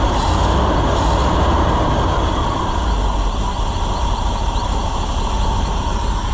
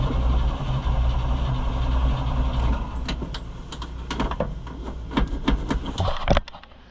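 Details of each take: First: Chevrolet C65 grain truck with freshly rebuilt carburetor, air filter off after a hard start: loud, steady, even-firing idle rumble with no misses, pops or surging. Normal running. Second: Chevrolet C65 grain truck engine started after a carburetor rebuild: it labours with an uneven, stumbling beat and sags toward stalling, with clunks near the end; needs fuel poured in, cause unconfirmed.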